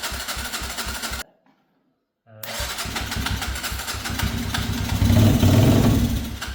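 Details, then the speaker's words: Abandoned Gilera motorbike left in a field for years, after wiring fiddled to cure a missing spark: after a brief cut-out the single catches and keeps firing, steady thumping beat swelling briefly with throttle; it runs on its own. "Who would have thought out of five bikes, the one that runs is not the Yamaha, it's not the Suzuki, it's not the Honda."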